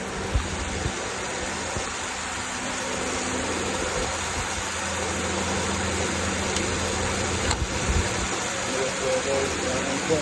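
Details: 2012 Toyota Camry 2.5 idling: steady low hum with a thin constant whine and light irregular rattle up top; symptoms of a failing alternator.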